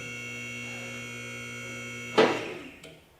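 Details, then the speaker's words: Atlas Platinum 10,000 lb car lift being raised for the first time during installation; steady hydraulic pump hum, then sharp clunk and clicks as the safety locks catch each stop, normal. "so you hear the clicking that's getting on each one of the safety stops"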